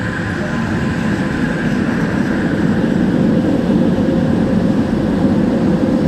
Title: Weird Fan Sound on LRT Kelana Jaya Line set 54 #klsentral #train